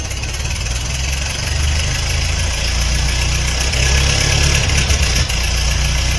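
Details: 1950 Ford 8N tractor, first start in over 10 years after work including removing factory 6-volt setup, Marvel Mystery Oil soak: steady deep even four-cylinder throb, smoky, no knocks or misfires; normal running.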